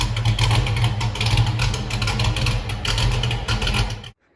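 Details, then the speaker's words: 1979 Mustang Pace Car V8, first startup, new polished Flowmaster exhaust: deep uneven burble stumbling and surging under blips, never smooth, then cuts off; rough running, owner says carburetor too big, planning a Holley Sniper kit. "As you can see, my carburetor's too big, but I'm taking a Holly Sniper kit over the winter."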